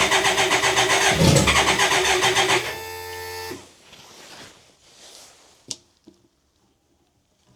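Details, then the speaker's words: BMW K100 motorcycle after fuel pump replacement: fast even cranking with sputters trying to catch, then dies away; owner suspects too little fuel; nearly firing, no start. "really wants to go now I can hear it let's do the choke a little bit a minute think I'm going to have to put more fuel in it"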